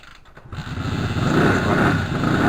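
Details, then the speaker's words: Moto Morini 250 2C under rebuild: the engine catches after a few cranks with carb cleaner, then runs unevenly with a rising burble and pops and bangs. It won't keep running because it doesn't seem to draw fuel through the carburettor; cause unconfirmed. "you can hear it popping and banging and throttle set it in set position without doing that it just doesn't really want to take"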